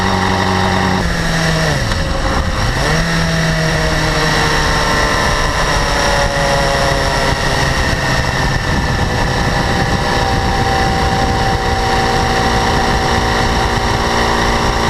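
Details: 2012 BMW S1000RR, about 4,500 km, idling with a brief rev: fast high-pitched ticking and light rattle that was absent at first and grew steadily louder; owner suspects valve clearance or exhaust interference-pipe flaps, unconfirmed.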